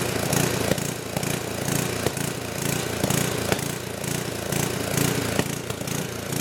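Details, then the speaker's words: Old 10 hp gasoline generator converted to propane with only an eBay LP regulator, choke open: engine swells and sags about once a second with sharp backfire pops; owner suspects it is not drawing enough fuel. "so it's not running perfect it's got a little gal up to it a little backfire and they're trying to indicates like it's me so maybe it's not drying enough fuel"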